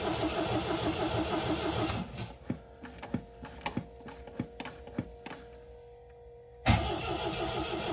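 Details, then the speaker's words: 1979 MGB cold start on choke after fuel pump priming and a couple of pedal pumps: engine runs, goes quiet through clicks, then fires and catches cleanly, revs rising and leveling out as it warms; temp gauge not yet reading. "can hear the RPMs coming up a little bit. It's leveling out, starting to warm up."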